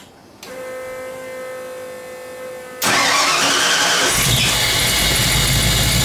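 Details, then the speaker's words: Engine restarted after a blown-gasket repair: catches at once and runs steady with no ticking or exhaust puffing, though the IAC is near 100% trying to raise idle and timing reads about 12° rather than the intended 15°. "go yeah that's much better I don't know if you can hear that that's the iak at almost 100% which is telling me it's trying to idle it up"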